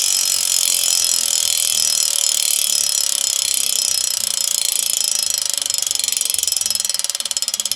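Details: DT Swiss 180 freehub on DT Swiss ECR 1100 Dicut wheel (Tarmac SL7) after new Shimano Dura-Ace discs and pads: crisp, rapid, even ticking slowing as the wheel coasts; healthy ratchet, nothing rough.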